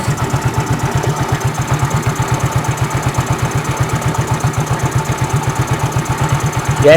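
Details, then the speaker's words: Fuel-injected scooter-type motorcycle that won't hold idle and won't rev: lumpy idle with uneven thumps about four per second that never settle; dirty throttle body sensor suspected. "Bagi yang mempunyai permasan sepeda motor ini motornya tidak bisa stasioner ataupun motornya ketika digas itu RPM tidak mau naik"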